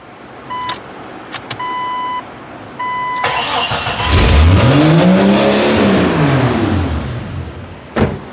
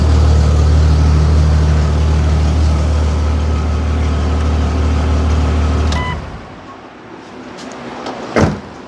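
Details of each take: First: First start after replacing an exhaust manifold damaged when the driveshaft broke: engine fires and revs climb steeply on their own before sagging back, racing; owner suspects a large vacuum leak. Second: Jeep with a new exhaust manifold fitted after the driveshaft failed and damaged the exhaust, bolts retightened: steady, even deep idle at 800 rpm with no knocks or clunks, sounds as it should; normal idle.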